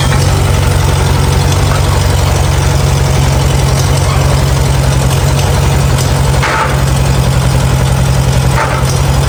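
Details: Farmall A tractor revived after 10+ years idle (new radiator, fan, belts, hoses); steady, low, even chuffing at about three or four beats a second, no knocks; normal idle.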